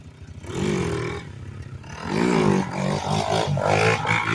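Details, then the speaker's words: 1987 Kawasaki Mojave 250 ATV after repairs (tube in tire, other tire plugged), riding: single cylinder revs up and down cleanly, crisp pickup and steady firing with no misses; runs healthy. "she rips good though and from the factory you can go straight from first"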